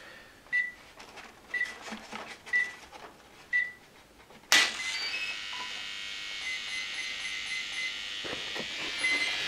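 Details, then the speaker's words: RC jet with thrust vectoring powering up; one-per-second beep, then steady high-pitched servo hum, normal for new jets. "You can hear those servo humming is perfectly normal on new jets."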